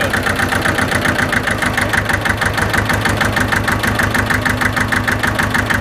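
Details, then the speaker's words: Hinomoto E230 diesel tractor, parked for years, just revived: settles into a low, steady idle with an even unbroken chug and no knocks. "Pur kitty purr no kidding all right well uh that was easy"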